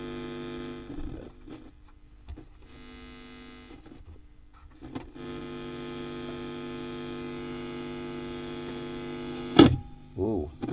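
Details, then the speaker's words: WEM Musette Mk 2 valve amp (Dominator Mk 3 with different speaker) on the bench before service: steady low hum with a buzzy edge; noisy amp, possibly valve related, source not pinned down. "but we have got quite a bit of Noise with this um I mean these are a little noisy"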